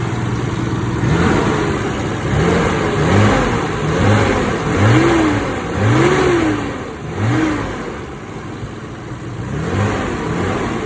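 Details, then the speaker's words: 1992 Nissan Skyline GT-R BNR32 with boost restrictor and catback exhaust, just after an oil change: free revs rise and fall about once a second, clean and even with no knock or tick; sounds much smoother than before. "But I know y'all didn't hear it before, but it already sounds much smoother."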